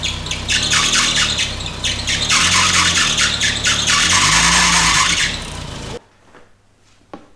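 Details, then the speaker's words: Mk1 Golf GTI right after start-up: loud shrill chirping squeal in repeated bursts over the engine, battery 12.12 V with no charging voltage produced; alternator confirmed worn out. "right well the light goes out so the alternate got excited but didn't produce any voltage instead just made an absolute racket um and that confirms the alternate is distuff it's knackered"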